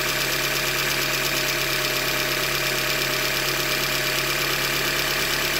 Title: 90K - 2015 Hyundai Elantra Limited Engine Knock - Short Block Failure- Manufacture Defect